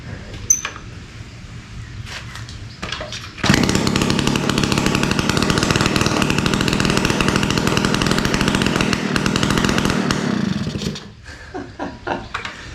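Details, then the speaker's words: 1971 Yamaha Mini Enduro two-stroke, first start in decades after carburetor cleaning, muffler removed because it was clogged (later found acorn piece and dirt), choke off: a few quiet pops then loud, sharp, raspy open crackle. Loud exhaust with muffler removed. "This thing's clogged. Let's try this again. Muffler's off, got more gas."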